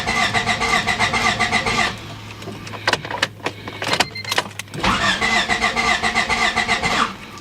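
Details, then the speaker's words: 1993 Honda Civic with a history of intermittent stalling (main relay replaced earlier); two spells of steady cranking at about four beats a second that never fire; crank, no start with no spark, traced to a faulty ignition coil. "okay so it's confirmed because it only grants the butter won't start so if you encounter this problem S no start"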